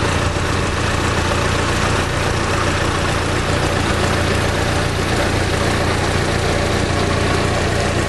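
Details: 2010 Fiat Palio 1.4 8V Fire, brought in for a tec-tec tapping engine noise, idling warm with new coolant: smooth, steady idle with an even hum and no ticking or tapping heard; engine runs clean.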